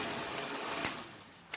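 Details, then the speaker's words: Vintage window fan, free-spinning and quiet after a few drops of penetrating oil on the motor rod, running backwards (sucking in), with only faint rattle from the grates; normal running. "it's gone like magic look how quiet it is now except for a little bit of rattle of the grates"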